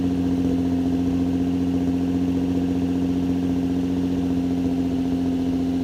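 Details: Nissan 350Z after replacing broken test pipes with the OEM catalytic converters, back on the ground: steady, smooth low drone with an even pulse, no rattle or ticking; exhaust sealed and healthy.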